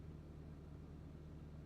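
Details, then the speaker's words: 2012 Subaru STI, 2.34L long-rod engine with Dom cams, Garrett G35-900 turbo, flex fuel, EMtron KV12 with staged ID1050 injectors: after reducing the throttle clamp it fires up far quicker and settles to a faint, steady, smooth idle. Normal idle. "that fired up way quicker I don't know if you could hear it or not that fired it way quicker"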